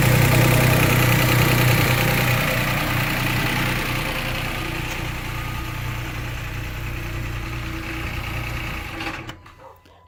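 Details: 2008 Chrysler 300 Limited 3.5L V6 at idle: fast, steady chattering rattle about four a second, then shut off; traced to a bad timing belt tensioner pulley.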